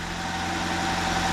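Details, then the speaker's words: 2004 Nissan Sentra after replacing a fuel injector (coil and spark plugs already replaced, code for air-fuel ratio sensor, no misfire codes): smooth constant idle, no shake; misfire gone. "turned it on what do you know is smooth no more misfire"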